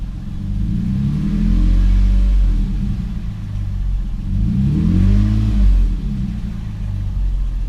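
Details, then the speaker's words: 2006 Toyota 4Runner after spark plug change: two clean revs rising and falling smoothly, no knock or misfire, no check engine light. "Well, so far everything sounds all right. I don't hear any engine knocking or misfires, so that tells me we did everything right."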